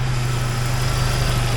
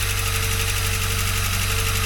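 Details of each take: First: Jeep Wrangler YJ 2.5L replacement engine, first real run after fitting radiator hoses and coolant: an even, steady low-hum idle with the earlier lifter tick calmed down significantly. The lifter took longer to inflate; the engine is running well. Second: Jeep Wrangler YJ 2.5L used replacement engine, first test fire with no coolant or upper radiator hose fitted: it runs briefly with a regular tick, about three per second, then shuts down, possibly with smoke in the exhaust. Suspected lifter not yet pumped up.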